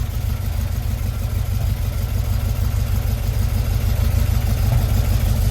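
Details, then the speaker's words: 1952 VW Split bus with freshly installed 1904cc stroker air-cooled flat-four (74mm crank, 90.5mm pistons, up from 1641cc), first start after cut and weld: steady throaty idle settling slightly higher, no knocks or misses; a leak was found afterward; normal idle. "Now what we got to do is start it up. Vamos a prenderlo a ver cómo suena. There she goes."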